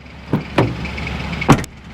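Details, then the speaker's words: 2024 Toyota Tacoma TRD Off Road (i-FORCE), first-year model: after each door slam, a short loose buzzy rattle from the rear, only when the passenger rear door is closed. The soft-close tailgate strap is slapping. "We can tell you what that is. It is the strap for the tailgate, which is soft close."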